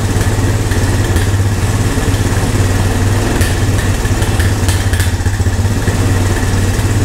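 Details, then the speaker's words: Old Honda three-wheeler/ATV revived with only fuel after sitting. Steady even single-cylinder thump at settled idle, no misses or knocks; normal healthy idle, owner thinks idle sits a little too low. "that's good that's promising thank you I think my idol maybe sit a little too low"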